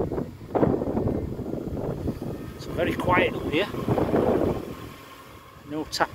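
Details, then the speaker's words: 2008 Jaguar XK 4.2 naturally aspirated V8, automatic, 121k miles with full service history. Revved from outside the car, it rises and falls cleanly through some wind buffeting, with no tapping or knocking; healthy. "So there we have it, very nice 4.2 normally aspirated engine."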